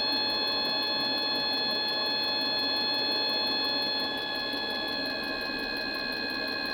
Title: Mikuni heater wont start?